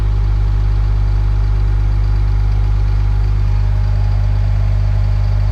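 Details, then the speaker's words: CAT-powered Ford F350 diesel just started after new front-to-back fuel line install, running to bleed air with fuel pump disabled; sight glass showed no air: steady, even deep idle, no misses, knocks or surging; healthy. "Let's go ahead and fire it up and bleed the air out of the system. So yeah, we'll let it run for a minute, make sure all the air is out of the system."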